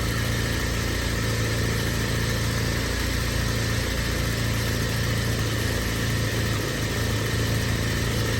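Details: BMW E36 Compact, M4x four-cylinder, about 100,085 original miles, cold idle with no throttle just after start, no check engine light; lumpy, uneven low pulse wavering in strength; rough idle that smooths when warm; owner suspects idle control valve, AFM seems to be working.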